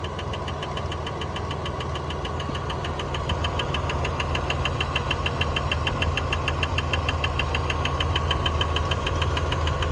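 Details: 1999 Dodge Dakota 4x4 Sport, 3.9 V6, 200K miles, at idle: sharp regular clicking several times a second over steady idle; belt looks okay, owner suspects a pulley; rhythmic clicking at idle, cause unconfirmed.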